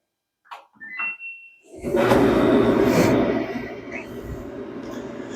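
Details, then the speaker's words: Kenmore (Samsung-type) dryer on timed high heat after roller shafts were cleaned: a couple of chirps at start-up, then an even drum hum with mild roller rumble, as idler and rollers recut their grooves; running normally. "that sounds pretty good the Ider will sound a little bit loud and the rollers too since we we uh cleaned up those shafts"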